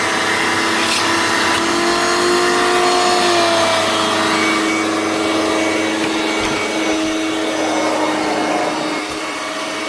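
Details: Hoover Turbomaster U5094 upright vacuum after refurbishment, brush roll off: smooth, steady motor whine at even pitch, then easing down gently, no rumble or grinding. Both motor bearings had been seized, fancase one spinning on the armature shaft; now healthy.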